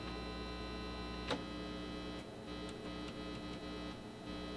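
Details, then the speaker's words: Acoustic Control Corp 260 amp head after resoldering cold joints, which restored the tremolo. Heard through the volume preamp: a steady low mains-pitched hum with buzzy overtones and faint ticking, described as grounding noise. Hum, source not confirmed. "you can hear that hear that grounding that noise"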